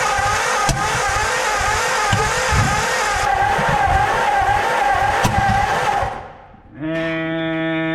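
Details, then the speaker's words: 1949 Ford farm find, just retimed: rough uneven cranking with sharp backfire pops before catching; owner suspects wrong firing order or a valve or two hung open, ending in a small fire; cause unconfirmed. "so the backfiring could be firy in order but the backfiring could also be a valve or two hung open which is probably the"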